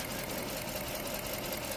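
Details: 2007 Chrysler 300 with 5.7 Hemi V8 at idle: steady uneven stumble and faint repeating knock from a cylinder 7 misfire; injector seven gets no signal from the engine computer, fix is replacing and reprogramming the ECM.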